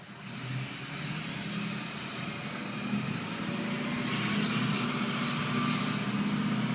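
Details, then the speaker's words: Ford F250 6.0 Powerstroke diesel pulling away. A faint, thin turbo whistle rises over the engine as boost builds; a normal turbo sound, barely noticeable inside the cab. "some people always wonder how much noise does it make inside the cab and pretty much none you listen really good you can hear the whistle otherwise it doesn't bother you"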